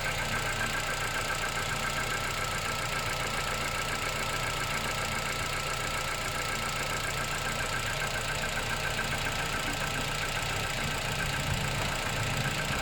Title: ruido en el motor al ensender en frío un mecánico q me ayude a resolverlo tine 10500 kilómetros